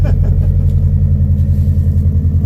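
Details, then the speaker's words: Subaru Forester XT turbo engine with the turbo shooting oil into the intake, which smokes as it burns off, through a pass-through muffler exhaust: steady deep burble at idle with an even low pulse, no knocks or rattles; sounds great. "Wow. Fucking unit. That sounds great. Well, I'm stoked. This thing sounds great."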